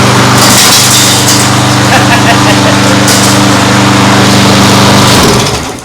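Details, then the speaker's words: Old lawn mower engine for homemade outboard, after adding fuel: steady even drone for five seconds then cuts off cleanly; runs fine though the mower deck is falling apart. "runs fine but it is totally coming apart underneath well doesn't matter we only need the engine well it sounded fine"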